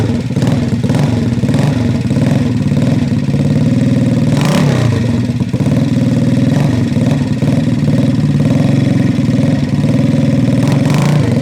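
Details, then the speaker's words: 1968 Harley-Davidson (Aermacchi) 250 Sprint, freshly started from stone cold after a complete frame-off mechanical and cosmetic restoration: steady, even single-cylinder beat with crisp throttle blips, no knocks or misses. Normal running. "Wow. This is one of the nicest running vintage Armakis we've had because it's had a complete, comprehensive frame-up restoration."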